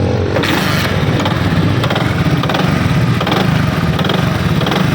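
Busy single-cylinder run with a coarse, uneven clatter riding over the exhaust beat; a knock under throttle, cause not yet found. Cause suspected, not confirmed.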